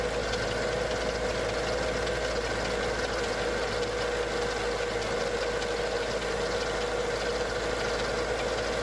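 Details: Mercedes E55 AMG with the M113K V8 at cold start: fast, steady mechanical ticking from the left bank cylinder head over an even idle. It began after switching to 0W40 oil and 98 fuel and disappears when warm; owner suspects hydraulic lifters or the timing chain.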